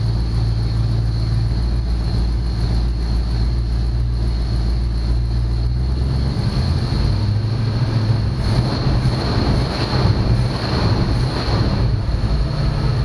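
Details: 1965 Ford Mustang after no-start diagnosis (owner suspected the coil resistor): steady fast idle around 2000 rpm while timing is set, an even deep drone with no misses or knocks; the engine runs smoothly.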